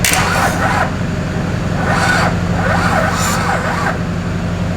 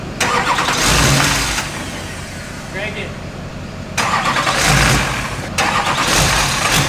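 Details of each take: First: Wrecked Duramax diesel swapped into a K20 truck, first start attempt: slow, labored cranking about four compressions a second that never catches; not enough battery power, double jump-start planned. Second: Wrecked Duramax diesel for a K20 swap, first runs during sensor wiring checks: revs up in surges and drops back smoothly, no knock or rod-bearing noise; engine sounds healthy, remaining problems thought to be computer/wiring.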